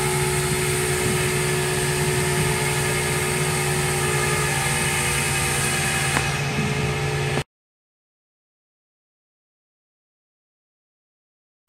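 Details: Chevrolet Corsa, weak and noisy, hard to start; idle pulses about three times a second, uneven and labouring before cutting out; cam cover showed camshaft normal; valve timing off from spun crankshaft pulley.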